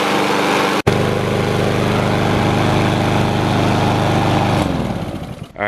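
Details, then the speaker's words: Honda GCV160 single-cylinder mower engine after carburetor cleaning to fix idle surging: it holds a steady, even idle with no hunting after five minutes, then winds down at shutdown. The surging is fixed and idle is normal. "right guys we just let that thing run for five minutes no surging or anything that's a good fix for these Honda engines"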